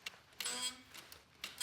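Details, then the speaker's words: Title MTB gyro detangler fitted to a steel full-suspension trail MTB: short squeaky rubbing bursts as the bars turn while holding the rear brake, as pressure between the inner and outer gyro rings creates friction, making steering feel tight. "It creates friction. And basically what that means is you can feel it while you're holding the brake and you're kind of like turning."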